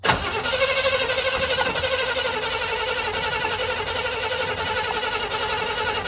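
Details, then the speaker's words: 1985 Chevy C20, sat outside over 10 years, fuel poured in by hand: starter churns at an even fairly quick beat for several seconds, never fires; cranks, no start, owner concludes it is flooded. "Also, it's flooded."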